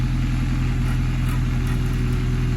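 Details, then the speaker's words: Honda Civic Si with K20Z1 swap, K-Tuned intake, check engine light possibly intake air temp sensor: deep smooth even note on a rev, no ticks, knocks or stumbles; running healthy. "There, one more time. Let's get one more rev out of this because I like the way it sounds."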